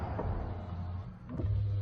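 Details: 2008 Jeep Liberty after replacing a window/lock control switch. A low, steady power window motor hum runs smoothly through the whole travel with no grinding or hesitation; the window works normally after the repair.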